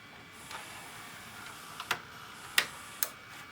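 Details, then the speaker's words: Vintage VHS/DVD combo: a few sharp isolated clicks as a tape goes in, the head mechanism engaging normally; earlier it would not engage at all. "click that click is turning the head on and when we were first messing with it it wouldn't do nothing"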